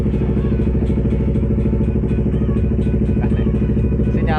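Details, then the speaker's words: Yamaha R25 with newly installed smart key alarm and voltmeter, started by remote without ignition key: steady, even low idle with regular beat, no knocks or rattles; running normally. "Nah, meskipun dia nyala tanpa kunci kontak, di sini kita cek kenormalannya, pastikan dalam kondisi semuanya normal tanpa ada yang kurang ya."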